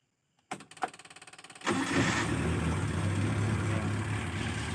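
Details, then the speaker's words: Engine starts at once on the starter and idles steadily without sputtering after solenoid valve needle removed, timing set about 8 degrees before TDC and battery charged; normal start and idle. "Insya Allah di starter langsung hidup dan suaranya bagus tidak brebet dan ketika digunakan tenaganya dapat ada tenaganya maksimal"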